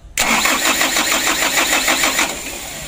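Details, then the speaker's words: Mitsubishi Canter diesel truck on a roadside: the starter churns about three beats a second for two seconds with no catch, even at full throttle. It won't start because worn injection pump plungers deliver no fuel; a faulty ignition key switch is also suspected. "Coba ya kita starter berkali-kali di gas eh mentok bekas tinggi juga tidak mau hidup"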